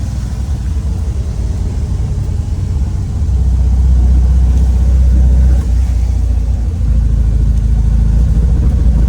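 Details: 1967 VW Type 3 Squareback, first drive after engine install; deep even rumble building smoothly as it pulls away and gains speed, no knocks or misses, feels more powerful than before, normal acceleration.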